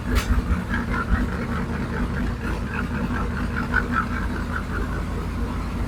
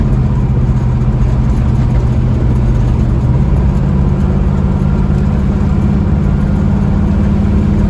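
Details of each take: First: 1967 Mustang fastback Shelby GT500 V8 at idle on first start for diagnosis, after another shop's work: uneven loping, stumbling idle with faint clatter; rough running from valves out of adjustment, adjusted to zero lash. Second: 1967 Mustang fastback (GT500 style) after valve lash was reset (passenger side had been at zero lash), on a test drive: strong, steady V8 drone pulling evenly with no misfire, tick or knock; power restored, runs good.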